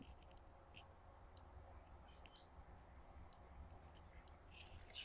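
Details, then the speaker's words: Macintosh LCII power supply under repair on the bench, 5 V rail stable, 12 V rail low and unsteady, negative rail unstable: faint, irregular sharp clicks every half second to a second; clicking from the supply, cause unknown. "Yeah, I'm not sure if that's normal."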